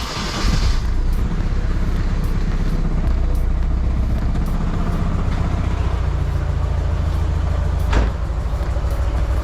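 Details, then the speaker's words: Nissan 240SX KA24DE just after timing chain guide removal and tensioner cleaning, possibly cold: lumpy, uneven idle with stumbling beat and shaking low thump; owner wonders if spark plug wires are on wrong. "It started off really rough. A lot of shaking. Not gonna lie, that does not look good."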